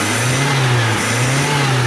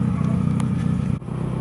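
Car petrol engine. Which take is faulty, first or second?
second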